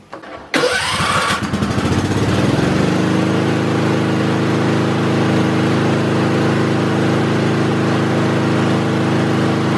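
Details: Kohler small engine at full throttle during a voltage regulator DC output test: catches after a brief crank, then a steady, even full-throttle drone with no misses or knocks; regulator outputs about 14.3 V DC, healthy.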